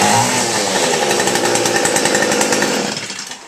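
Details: Weed eater that ran poorly and would not start, after its clogged spark arrester was burned clean of soot, hot: high, buzzy two-stroke scream running strong and steady about three seconds before shutdown; fixed, runs normally.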